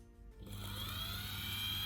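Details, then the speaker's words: Ducati 750S starter motor after strip-down and repair of a suspected loose magnet, bench-tested: steady, even whine spinning up smoothly with none of the earlier jingling and jangling; healthy starter. "listen to that it's so quiet none of that horrible jingling and jangling that we had that we've had before so it should make starting a lot easier"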